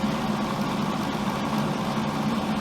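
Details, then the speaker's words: Miller welder, cooling fan running: steady low droning hum with even buzz as the fan vibrates the case; owner fears the vibration could loosen something on the circuit board and plans to stiffen it. "maybe eventually vibrate something loose on the circuit board I don't know I just don't like it"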